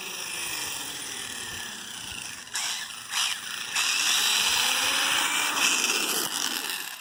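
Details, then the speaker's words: Kraton V4 electric RC car pulling away and taking a wide turn: electric whine broken by sharp cracking bursts, worse in reverse; drivetrain cracking, cause not yet found. "Hear that cracking? The cracking. Definitely makes it more when I reverse it."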